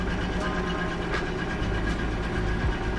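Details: BMW E36 Touring running on LPG, 273,000 km, first start after fitting battery, coil and missing spark plugs: steady, continuous engine rumble with no misses, knocks or ticks; normal running.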